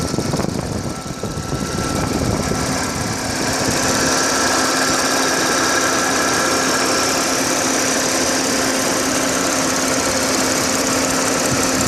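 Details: Audi A6 4F 3.0 TFSI idling while stationary, phone recording from above the engine bay; a quick, fairly steady tick about three per second over a busy idle, source unknown.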